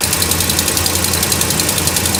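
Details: Dodge Ram Hemi cold start after sitting about a week. A quick, sharp ticking on the passenger side rides over a smooth cold idle. It began four months ago, faint at first, and fades once warm. Possibly an exhaust leak.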